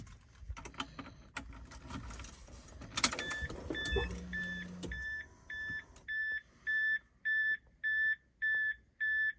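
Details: Mk3 Toyota Supra after replacing the factory 10 A starter relay with a higher-rated plug-and-play relay: keys rattle and a chime beeps about twice a second, then the engine cranks and fires promptly. The earlier clicking no-start fault is cured.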